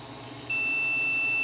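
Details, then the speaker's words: Multimeter audible continuity mode on a TV board under repair: single steady high beep about a second, indicating a closed path or short where probed while hunting an unfound short. "it's coming from the meter trying to get"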